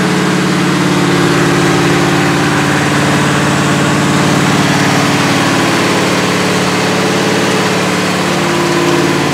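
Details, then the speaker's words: 1977 Chevrolet Malibu V8 on a cold start at about 57°F with a non-functional choke, held at high idle (about 2,200–2,500 rpm) for a 15–20 minute cam break-in; steady low drone with no knocks or ticks, healthy high idle. "So I'm going to go ahead and fire this thing up and idle it up and try to do another 15-20 minute run to try to break the cam."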